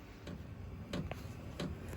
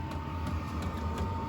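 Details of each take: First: Vevor diesel heater (12 V, heating a greenhouse/chicken coop) running: sharp clicks about every two-thirds of a second over a low hum, from the metal fuel line vibrating against something; clicking is not supposed to happen. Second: Vevor diesel heater for a chicken coop and greenhouse at start-up: steady fan hum with a light regular fuel-pump click about three times a second, audible from the house; normal start-up.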